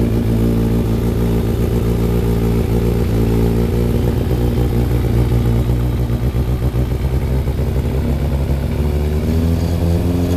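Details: Rebuilt Thunderace engine first run on a fresh battery after petrol pump began working: strong, even note rising and falling with throttle blips, regular firing, no knock; healthy; smoke from paint, water leaks noted.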